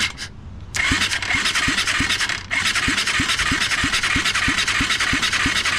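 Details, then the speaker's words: 1996 Kawasaki Bayou 220 quad during rebuild with new stator and pickup coil, starter wired through the solenoid relay: starter spins up after a pause, engine turns over with even compression pulses about three per second; cranking normally but not firing. "the starter is good the engine's turning over nice"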